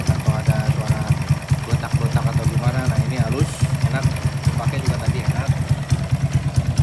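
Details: Honda Karisma-based motorcycle (C800 body), bored up to 148 cc with 56 mm piston and custom cam: steady even single-cylinder idle, regular low thump, no ticking or knocking; engine runs smooth.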